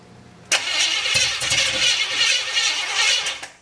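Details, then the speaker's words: 350 SS truck at first start, with good spark confirmed: about three seconds of uneven starter churning with barely a catch; cranks but won't fire, and the distributor later needed tightening. "Let's see why we're not hearing no popping. Hang on, stand by."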